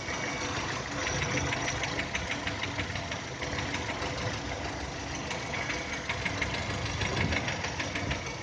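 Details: 2010 VW Touran 1.6 BSE, cold idle below 1000 rpm after two days parked: fairly loud sharp ticking knock about three per second, stopping above 1000 and once warm; seems left side. Rebuilt just over 15,000 ago with new pistons, valves, hydraulic lifters, bored block; cause unknown.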